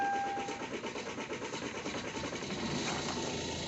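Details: Kia Sorento CRDi diesel: steady rhythmic cranking at about four to five strokes a second without the engine catching; hard starting.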